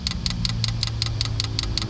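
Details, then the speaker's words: 5 kW diesel night heater in a LWB Sprinter van, first start with empty fuel lines: crisp, even fuel dosing pump ticks about five per second over a low hum while it primes the lines; normal. "Now you can hear the clicking of the fuel pump, and that's pumping or priming all the fuel through the lines, because the lines are empty at the moment, so we need to get that fuel pumping."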